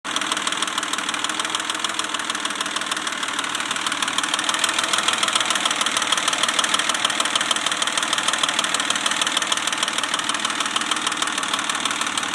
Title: Weird clicking noise? Pajero 1995 DOHC NJ 3.5L V6 rebuilt engine.